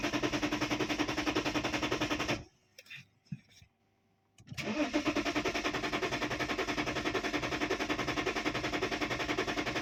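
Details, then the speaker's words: 2010 BMW E60 3.5 diesel, 285 hp, hot after running about an hour: quick even starter cranking about 3.5 beats a second, pause, more cranking that never catches; crank-no-start, fuel pump not running, no voltage at pump, errors 6292/6293. "Nothing. You can do this till tomorrow. The car doesn't start."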